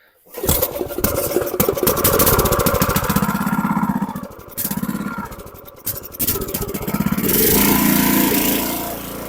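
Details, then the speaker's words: Briggs & Stratton 6.5HP single-cylinder engine on a water transfer pump, after carburetor removal and cleaning, a new jet, a new air filter and draining fuel-contaminated oil. It fires quickly and runs at a steady, brisk putter with only brief speed dips, running properly. "well there you go he's all ready to pump water now"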